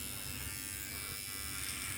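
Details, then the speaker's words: Surker SK 7206 cordless T-outliner hair clipper cutting hair; steady, high, buzzy motor hum with no clear slowing or stalling. The owner wonders whether it is bogging down, but it cuts without pulling; cause of the odd tone unknown. "But it seems to be cutting fine. It's not pulling on me. So I don't know why the motor started making that sound."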